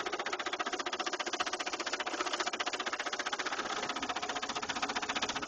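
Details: 2000 Saturn LS2 petrol engine idling with a fast, steady, sharp knock at even rhythm; noise appeared suddenly one day, owner fears the engine is a lost cause.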